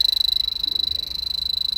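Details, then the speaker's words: 2003 Toyota Prius, key on, blower raised from low to high with the leak detector at the vent. Fast, steady high-pitched beeping at roughly twenty pulses a second: the detector's high alarm, indicating a refrigerant leak under the dash at the expansion valve or evaporator. "were you able to were you able to see the light flash faster and you hear the tone increase and i just went from the middle okay to the high mark we have a leak under the dash"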